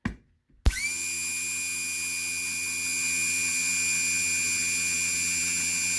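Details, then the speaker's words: HWH RV hydraulic pump motor (RAP91244) bench-tested after its carbon brushes were replaced: a steady, even high electric whir with no catching or surging. The motor sounds healthy. "There she goes. Sounds good."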